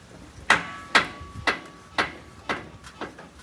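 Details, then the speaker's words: Lowered 2004 Chevrolet Astro, front corner bounced with more weight on it: a sharp metallic clunk about twice a second that hits harder under load. Suspected causes are spring seat location or the spring; the sway bar and tie rods were checked fine. Not confirmed. "well it definitely hits harder with my fat ass on it"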